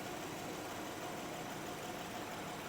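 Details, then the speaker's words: Approaching half-million-mile Honda Pilot petrol engine idling smoothly and quietly, steady hum, no misfire, knock or smoke; belt in great condition. "So this is running. Smooth as could be. Listen to that. Hardly any noise. This thing is so quiet."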